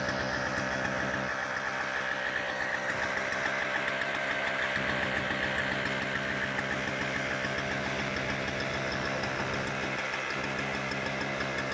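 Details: Toro CCR2000 snowblower, possibly 1990s, 4.5 hp Suzuki two-stroke with Mikuni carb, 50:1 mix, after cleaning carb bowl and main jet; even, steady buzz holding one speed without stumbling or surging, running cleanly.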